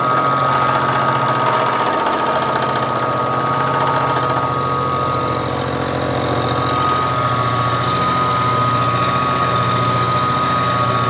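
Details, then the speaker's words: Hobby milling machine making a part for a 5-cylinder radial engine stand: a climb cut using 50% or more of the cutter diameter, so backlash is not pulled. Steady cutting roar with a constant high ring and no banging or chatter. "But as long as you cut with 50% or more of the diameter of the cutter, you're fine in the cut."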